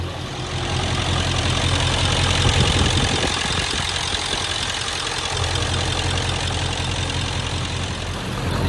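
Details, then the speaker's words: Ford F550 7.3L Powerstroke diesel just after new injectors and glow plugs: the idle runs even, then stumbles unevenly for a couple of seconds before settling. The owner suspects air still in the system. "so we are getting a little bit of a strange kind of inconsistent idle from it"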